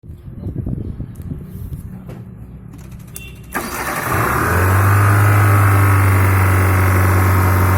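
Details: Hyundai Santro engine cranks, catches and settles into a loud steady drone with a strong rhythmic pulse; abnormal engine noise, cause undetermined.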